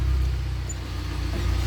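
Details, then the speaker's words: UAZ Patriot rear axle after reassembly and pinion (tail shaft) adjustment; bearings were found damaged: while driving, only a low, even road rumble with no rhythmic knock; the axle knock is gone. "все стук пропал"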